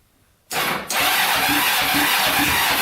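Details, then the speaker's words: 1980s Kawasaki Mule 450cc, previously seized, after top-end rebuild with cams timed and higher compression, gas poured in carburetor: steady starter cranking, even chuffs about 3.5 per second, never fires; cranks but won't start, carbs suspected, compression felt pushing back out of carburetor. "uh no go by putting uh gas on the carburetor i think we're gonna take these carbs off clean them go through them and then try this again"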